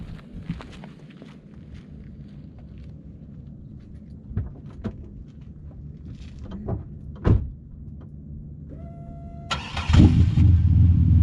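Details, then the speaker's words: Chevrolet Impala after exhaust repair, cold start: cranks and catches into a low, even rumble, no exhaust blow or rasp; much quieter than before the fix. "so as you guys can probably tell it's a lot quieter for sure can hard hear it now"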